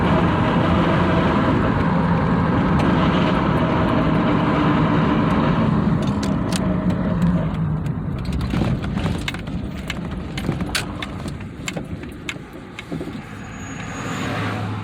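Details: 1999 Dodge Durango 4x4 coasting off throttle: the engine and road roar fade, with scattered clicks and knocks seemingly from the front; the owner cannot identify the source.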